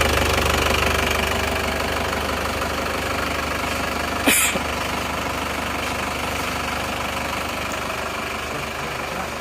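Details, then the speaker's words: Isuzu Panther diesel just started cold after an engine overhaul (new rings, liners) for heavy oil blow-by caused by running out of radiator coolant; steady, stable idle with light clatter, some smoke still while cold. "Bismillahirrahmanirrahim Alhamdulillah hidup stabil ya hidupnya stabil tidak goyang kelihatannya stabil"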